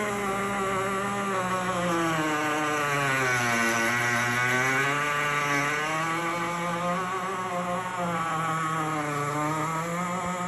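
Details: GE Opal countertop nugget ice maker running: loud, constant squeal with a wavering, sliding pitch, starting after two weeks of ownership; a replacement unit did the same.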